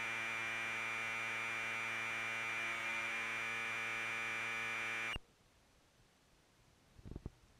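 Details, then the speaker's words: Commodore 1530/C2N datasette playing a tape after head azimuth alignment by ear, close enough for the program to load: steady, clean high-pitched data tone for about five seconds, then it stops; normal reading. "now some of you are probably curious what an audio tape sounds like when you play it through a commodore data set so here you go"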